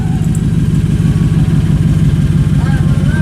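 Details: 2014 Chevrolet Silverado V8 with all exhaust piping removed, dumping just after the headers: very loud, deep, raw rumble with hard low pulses and no muffling; open exhaust.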